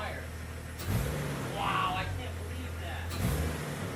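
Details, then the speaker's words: Jeep TJ 4.0 liter, first start after tune-up with new distributor cap, rotor, plugs and Blue Streak wires: short crank, clean low rumble building smoothly when revved, no misfire or knock; engine runs healthy. "now that the battery and air filter are back on we can hear the jeep start for the first time after our little tune-up"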